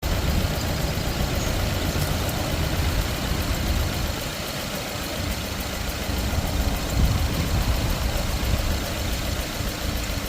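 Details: 2013 Subaru 2.5 at idle: uneven idle with an irregular stumble and lumpy pulses in the exhaust note instead of a smooth beat; engine misfire at idle.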